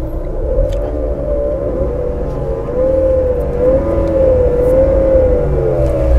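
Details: Chrysler/Dodge/Jeep 2.4 L World engine at idle with a steady, slightly wavering whine, diagnosed by checking the front accessory drive pulleys and alternator for worn bearings.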